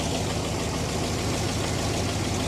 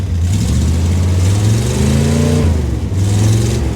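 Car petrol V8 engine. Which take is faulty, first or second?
first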